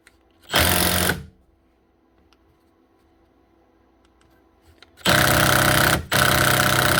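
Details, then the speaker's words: Makita DTD154 impact driver after replacing gearbox housing with failed front needle bearing: two bursts of rapid, even hammering about four blows a second; running cleanly and healthy after repair. "That's her. That's it. One wee Makita Impact Driver, the DTD154, up and running again with a new gearbox housing, costing about, what was it, €17 plus the VAT."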